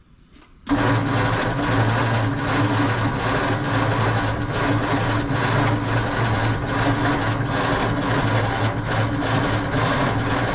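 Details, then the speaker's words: 1948 Ford F5 truck, dormant nearly 30 years, cranked after the distributor was turned back to adjust timing: steady starter churn with even compression pulses and no firing at all; it cranks but won't start, with a new unidentified noise present. "I don't hear any firing yet so let's keep playing with this distributor"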